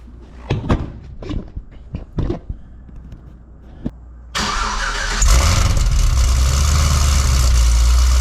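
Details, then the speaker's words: Cadillac CTS-V wagon V8 cold start in stealth mode with factory mufflers, exhaust cutouts closed; a few clicks, then it fires, flares briefly and settles into a smooth, even cold idle, after earlier bank 2 fuel trim code. "I'll uh I'll get you guys set up for a uh a stealth mode cold start it's pretty reasonable uh with the factory Mufflers so let's give you an idea what it's like with that instead of the uh the cutouts open"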